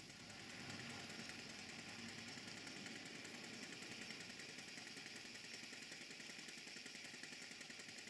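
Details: Model steam engine on a Castle Steam V6 model boiler, with the rotative pump feeding water and boiler pressure dropping: quick, soft, even chuffs about three or four a second under a steady steam hiss; normal running exhaust beat.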